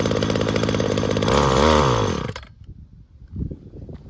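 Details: Weed Eater GTI 19 two-stroke string trimmer, about 33 years old, after carburetor rebuild with new metering diaphragm, fuel line and filters; fires on choke and runs strong, revs swelling and dropping briefly before cutting out, normal running.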